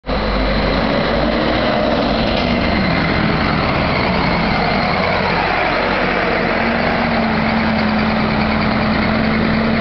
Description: Here's Stagecoach Western's Neoplan Skyliner 50133 on an X76C heading to Glasgow with a very loud fan.